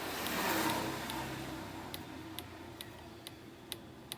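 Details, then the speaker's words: KDK stand fan, old model, noisy and turning slowly: motor hums slowly with a sharp tick about twice a second from a worn bushing with play; capacitor may also be weak, bushing to be replaced. "Ewan ko kung malakas capacitor nito lakas ang lakas ng ano niya palag pudpod na yung busing nito eh"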